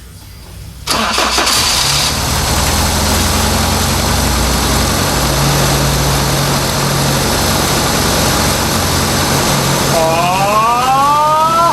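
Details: 1980 Toyota Corona Wagon, 20R 2.2 L carbureted four-cylinder, first start after sitting for years, with a new mechanical fuel pump, new fuel lines and fresh fuel: catches after a short crank but idles lumpy and uneven, never settling; rough running.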